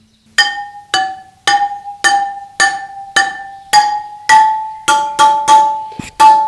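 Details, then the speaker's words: BMW GS/A motorcycle spoked wheel: spokes tapped in turn ring with clear metallic tones, but one gives a short, distinctly dull thud, showing it is a loose spoke that needs tensioning. "Så, alla ekrar runt den ger ett högt ljud, men den här gör ett väldigt distinkt "duns"."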